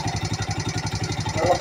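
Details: Yamaha Mio Sporty scooter idling with a quick, even tick on every beat. The starter bendix is loose and rattling, its spring slack and the one-way clutch bearing fallen out; the engine was also hard to start.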